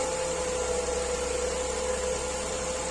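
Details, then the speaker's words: Renault Clio 4 1.2 TCe after repair and a water pump change, briefly warmed up: a steady, even running hum with the earlier clacking gone. Power is restored and the engine runs normally. "plus rien à voir vous entendez le bruit plus de claque [Musique] claac linéaire beau bruit"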